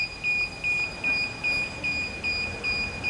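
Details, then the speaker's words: DJI Phantom 4 drone remote controller beeps in high, clean doubles about 2.5 times a second, steady and unchanging; the alarm sounds because controller calibration hasn't been done, fixed via DJI GO app remote controller calibration with the aircraft off. "자, 지금 띠 소리가 지금 상당히 거슬리잖아. 그지? 이건 조종기 캘리브레이터를 안 해줘서 그래."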